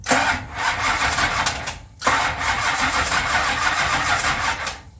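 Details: Plymouth Road Runner sitting a year after engine overhaul, spark present and plugs wet with gas: steady starter churn with no catch across two cranking tries. Crank-no-start; owner thinks timing is off.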